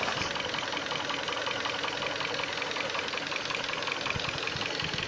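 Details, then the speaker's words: 2012 Korean-market Hyundai Sonata, 126,800 km, running on LPG after petrol and gas conversions: a fast, fairly even knock over a hissy engine note sharpens when revved. Owner suspects the timing chain, unconfirmed; also mentions the gas injectors. "Вот появляется звук. Сейчас звука нет просто. Вот он. Вот он, сейчас появится. Все стучит, конечно. Может цепочка."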